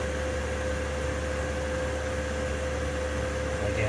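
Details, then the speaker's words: Diesel heater, warmed up after running a while on high, no sound deadening: steady even fan roar and low hum, pump ticking barely audible; running normally. "It's been running for a little while. This is still on high. On high, you can just barely hear the"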